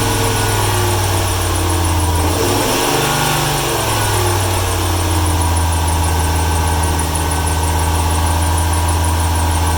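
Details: 1995 Ford 300 inline-six with over 400k miles, misfiring: about 1.5 s of squeal rising and falling over a steady idle rumble. The drive belt is slipping, likely damp since it rained the day before or that morning. Cause suspected, not confirmed.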